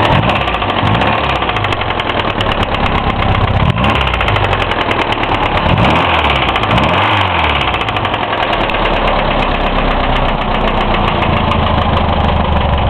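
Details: Hillman Imp engine just reassembled, one of its first starts, bearings and tappets checked within tolerance, oil full: loud, rapid metallic knocking over a rough idle at engine speed; serious knock, source unknown.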